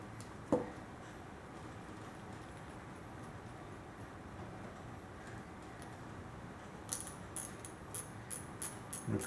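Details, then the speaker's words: Browning Midas Black Bass baitcaster during reassembly, lightly greased star drag adjuster turned down: crisp, evenly spaced light clicks, healthy drag detent. "Now, we're going to put the star adjuster back on there. Put a tiny bit of grease inside here, too. Not a whole lot. And when we get that started on there, once I get it down on there a little bit, you'll hear it start clicking."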